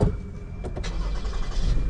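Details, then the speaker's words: 2018 Toyota Sienna with replacement engine, after a crank-no-start: short crank catches roughly, uneven and lumpy, misfiring and not running smooth; permanent codes for coils A, B, C; looks like a bad ground. "All right. Now, it's running, but it's misfiring. It's not running smooth."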